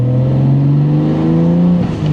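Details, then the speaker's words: 1989 Toyota Supra, 2JZGTE stock block, HKS 264 cams, S362sxe turbo, T56, warmed up, boost pulls: note climbs cleanly with road speed, no stutter; no misfire, steady RPM, repaired (welded/JB-welded) intake holding. "And all the pulls that I've done, and every time I got to the light, the RPM is consistent. It's not bouncing around. It is not high. It is where it's supposed to be, and it sounds like it is healthy."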